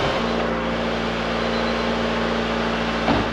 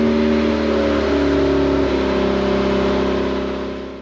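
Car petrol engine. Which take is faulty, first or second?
second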